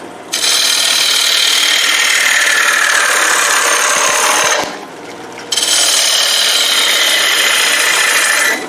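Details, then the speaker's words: Wood lathe turning a 12-inch green wood bowl blank: a thin, steady, high squeal rides over the scraping of the cut and stops when the cut stops; the drive belt slips under load because it isn't on the lowest speed, highest torque pulley setting. "You can hear the belt on my lathe kind of squealing a little bit, and that's because I don't have it on the lowest or the highest torque or the lowest speed setting."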